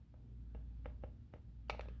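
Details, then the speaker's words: Smith & Wesson M&P M2.0C Optics Ready pistol during dry fire practice: a few sharp, light, irregular ticks in a quiet room; the optic mounting plate rattling. "o some dry fire practice once I got dressed and everything was good and it it started rattling and I could not figure it out to save my life uh so you hear that it is just enough that it was driving me nuts and it ended up being the optic"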